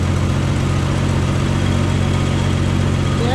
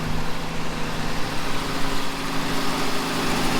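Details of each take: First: 1967 Plymouth Valiant, just started after a revival, carburetor set that morning, old plugs, cranked first to build oil pressure: steady, low, even idle hum with no rattle or clatter on start-up. The engine sounds healthy. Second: 1967 Plymouth Valiant at idle: a thin, constant high whine rides over the engine, coming from the alternator, which works but has a weak bearing.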